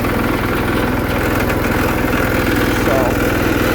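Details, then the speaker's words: 1979 Case 224 hydrostatic riding mower with mechanical fuel pump, roughly 3-gallon tank and long exhaust run to a front muffler, charging about 10 amps when throttled up; steady, soft, quiet low putter at idle with no knocks or misses, a normal healthy idle. "simple, but effective. I mean, it's so quiet."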